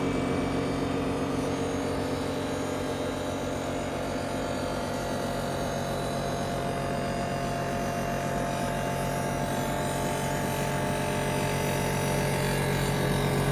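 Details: Ninja Foodi 8-in-1 running cold in this recording (owner says the unbearable noise comes after warming up): steady loud hum with several fixed tones, no pitch change; loud running noise, cause unclear.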